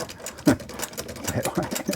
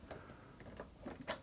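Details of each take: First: Vulcan Senior toy child's sewing machine (made in England), hand crank turned in reverse, which it can run both directions; light uneven ticking and clatter, turning freely with no binding or grinding, normal. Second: Child's toy Vulcan Senior chainstitch sewing machine with substituted tension parts and new standard universal needle: light, sharp ticks about three a second as the needle flexes against the looper and springs back straight leaving the fabric.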